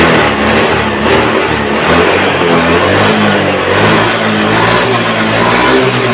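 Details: Honda Beat ECO scooter that stalled often, lacked power and had delayed throttle, after TPS voltage corrected from 0.80 to 0.48 V: engine picks up cleanly as throttle opens and eases, no stumbling or dying; throttle response normal.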